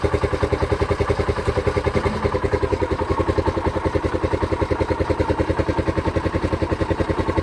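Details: TVS King CNG/LPG BS4 three-wheeler with a misfiring complaint: steady, even putter at about three and a half beats a second, no stumbles or skipped beats; engine firing cleanly.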